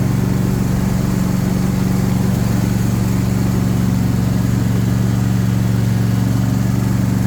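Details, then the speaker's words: John Deere S130 mower after investigating noise from deck spindle and clutch: steady even low drone with no squeal or rattle; the noise went away, normal running. "All right, let's hope. Well, that noise went away."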